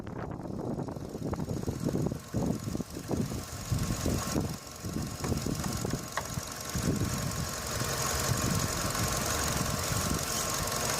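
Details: Engine bay rattle heard through a selfie stick pressed on the component, via the knuckle to the phone mic: irregular light tapping over a quiet idle, previously diagnosed as a loose radiator fan housing.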